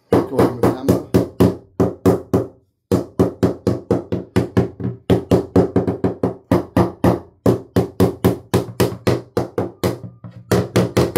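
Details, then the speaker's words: GRP yacht balsa-cored topside after collision with a fixed post: even hammer taps about four a second give a dull dead thud instead of a crisp ring at an abrasion a meter from the impact; core delaminated from skin. "And you can also hear that's delaminated. So even though it hasn't done that much damage uh externally, it has parted the core entire."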